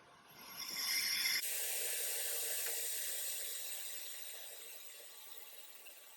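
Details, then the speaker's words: Pro-Cut PFM X9 on-car brake lathe cutting a rotor, five thousandths total cut, vibration dampener fitted: steady high hiss of cutter starts abruptly and fades evenly as feed runs out; clean normal cut. "now we're ready to cut so all we got to do is engage the transmission by pushing this knob in it's going to catch it's going to start feeding out"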